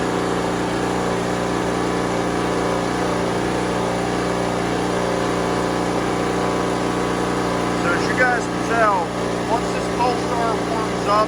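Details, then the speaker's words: Pulsar PG3250 generator, warmed up after a cold start on a 40s-degree day: steady, even hum, idle smoothed out with no ramping up and down; normal idle. "that idle swings right out it runs nice it runs smooth it doesn't sit there and ramp up and ramp down and ramp up and ramp down"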